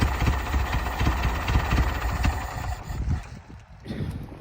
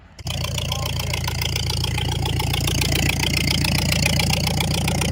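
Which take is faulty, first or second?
first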